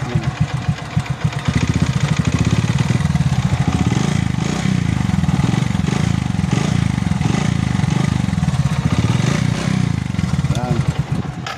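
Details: Kawasaki Bajaj CT125 single-cylinder idling with a loud, hollow clatter on every firing stroke resembling piston slap; mechanic says it is not internal (not connecting rod or camshaft bearing) but an external part.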